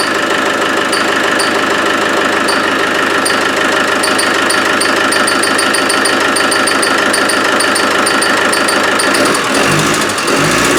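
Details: Land Rover 110 300Tdi, engine rebuilt last year, has developed a squeak. With the belt off there are still sharp quick chirps, about three a second, that follow engine speed. Something inside is suspected to be rubbing, not confirmed; radiator and front to come off next.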